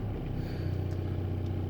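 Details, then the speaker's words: Opel Zafira A Y20DTH diesel: no knock at idle, dull repeating knock appears around 1300-2000 rpm over engine note; caused by failing crankshaft alternator belt pulley. "На холостом ходу его нет, но примерно на 1000 об/мин он появляется. Или нет, даже при 1300, 1500. Вот оно. Да, почти 2000 об/мин. Вы можете это отчетливо услышать."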